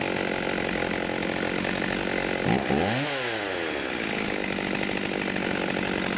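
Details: 1989 Husqvarna 50 chainsaw, sat years with old gas, after carb clean and tune-up: screams at high revs, dips and climbs back through a quick rev, then holds a steady even note; running clean.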